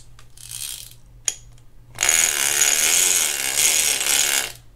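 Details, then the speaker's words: Penn International 30VSW fishing reel after servicing: crisp, rapid, even clicker ratchet ticking as the spool turns, no drag or skipping; clicker works properly. "I didn't test the clicker out, so let's go ahead and test that so we can hear it."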